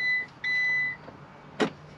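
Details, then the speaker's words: Blend door actuator behind the dash, near the cup holder, randomly clicking and draining the battery: short bursts of clicking with quiet gaps and a faint electronic beep underneath; failing actuator, replacement parts on hand. "it's clicking and making a god awul noise and it like will randomly click and it's been killing the battery"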